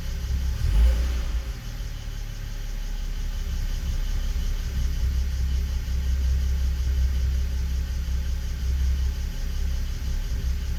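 Cold idle with a low rumble that lurches unevenly, an irregular stumble every so often; misfiring on a cold start.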